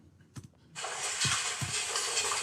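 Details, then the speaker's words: Normal seam welding picked up by a sensor inside the welding machine: a few faint knocks, then a steady high hiss holding evenly as the weld proceeds. "that but this is the sound generated by picked up by the sensor here's the welding sound you have this small welding sound you are able to pick it up"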